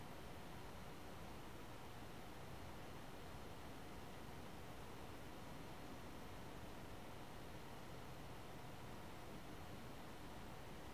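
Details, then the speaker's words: One Mix 2S Yoga 7-inch mini laptop under Prime95 full CPU load, fan at maximum; steady airy rush, no ticking or rattle, microphone then moved to front where quieter; normal fan noise under load. "and that's about as loud as it gets and I'm gonna just move the microphone a little bit so that you can hear it's not quite as loud when it's in front"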